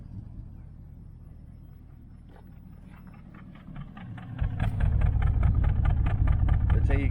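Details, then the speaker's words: 1968 Nomad V8 that had run 2600 miles: quiet start, then an uneven, loping beat about three pulses a second, a miss on the left bank, felt as a slight shake when cruising. "so she it sounds great right sounds great but there's a Miss in it you can tell you hear that side"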